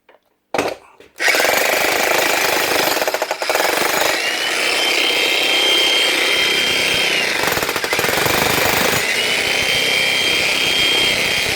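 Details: Logan Tools breaker hammer, a cheap unit: the motor runs steadily, but the rapid hammering cuts out for a second or two and then resumes; intermittent hammer action because there is no oil inside and the O-rings are worn.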